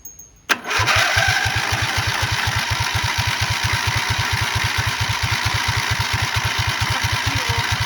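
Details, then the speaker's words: Racing lawn mower freshly swapped from 12.5 HP flathead to 20 HP OHV V-twin, choked: steady starter cranking about two pulses a second, never fires; fuel confirmed reaching carb, no-start cause unconfirmed. "Well, it absolutely pulled fuel. The fuel came very full into there. It did not start though."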